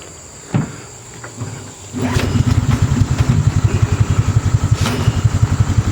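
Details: Golf cart after a small single-cylinder engine swap, with a newly installed pull rope: a couple of pulls on the rope, then the engine catches and settles into an even, steady putter; runs fine.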